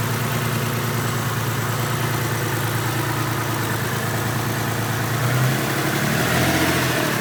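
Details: Mitsubishi 3000GT VR4 V6 idling with an uneven, loping beat and occasional stumbles, lifting briefly with a blip; misfire at idle, owner wonders if a valve is at fault.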